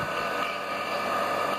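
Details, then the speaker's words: Half-HP peripheral water pump, repaired after a rusted bearing made it loud, runs with a smooth, steady, mid-pitched whir and no grinding or rattling. "no hace ruido aquel espectacular nada que ver era de alemán que estaba este oxidado"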